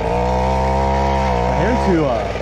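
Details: Mini bike with a large exhaust pipe, revved high: crisp, sharp, thin note with a slightly hollow crackle; running a hair too lean, richened about an eighth of a turn afterward.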